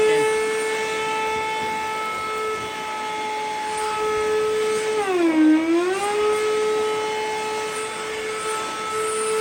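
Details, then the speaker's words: Older Flex 1.6-gallon shop vac: on switch-on the steady high motor whine sags in pitch, then recovers. It makes a weird noise with no suction until the noise changes and suction starts. Abnormal motor noise, cause unknown. "This is my older one that I have, but whenever I turn it on, it'll make some kind of really weird noise and won't suck at all, and then the noise will change and then it'll start sucking."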